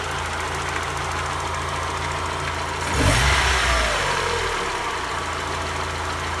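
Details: 1991 Mazda Miata four-cylinder, cold-ish at idle; faint regular knock about three or four a second from the bottom of the block, briefly louder on a blip, quieter when warm, also heard around 3-4k rpm; owner suspects spun bearing, no codes.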